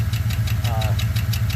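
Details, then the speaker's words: 2013 Chevy Suburban, cold start, cylinder misfire: sharp quick ticking about eight a second over steady idle; suspected stuck or broken lifter or camshaft from low oil pressure, low compression, diagnosis pending. "soy un ruido como del iter que los voy a poner el carnet para empezar a revisar qué cilindro de phil y hacerla el diagnóstico"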